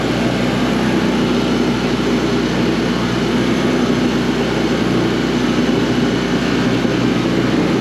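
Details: Coleman Powermate PM800 generator, 600 W, Kawasaki four-stroke (thought to be 78cc), fresh gas, choke off, powering a light: constant, even drone holding steady speed with no surging or misfire; normal running under light load.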